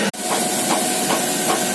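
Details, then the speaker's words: Chinese FO-23 tower crane hoist winch lifting: a rough rattling knock pulsing about two and a half times a second with vibration; first suspected electrical diode fault, gearbox opened and a cracked gear found. "Вот такая штука у нас ребята слышите Как оно тарахтит Вот это нам сейчас надо исправить"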